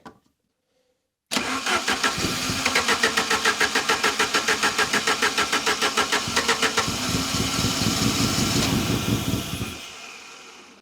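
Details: Saab 900 Turbo Commander with Bosch K-Jetronic injection, sat 10+ years, with the air-flow sensor plate lifted by hand to force more fuel in. About three and a half heavy pulses a second, uneven and labouring before dying; rough, fuel-starved running.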